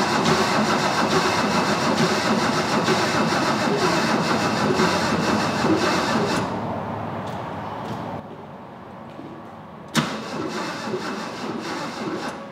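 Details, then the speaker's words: 1977 Porsche 911 barn find: starter turns the flat-six slowly and evenly, about three pulses a second, without firing; jump box too weak, fuel delivery uncertain, possibly a spark plug left out. "starter works that's huge okay but but we need more power for sure and i don't know if we're getting fuel"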